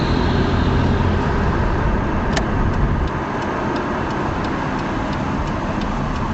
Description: What is this fluttering sound coming from my engine?